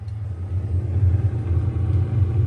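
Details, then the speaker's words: Arçelik refrigerator's interior fan humming steadily and smoothly after repair, starting 15-20 seconds after the door button is pressed and the light goes off; normal operation. "bu fan sesidir tanım çalışıyor mu çalışmıyor mu"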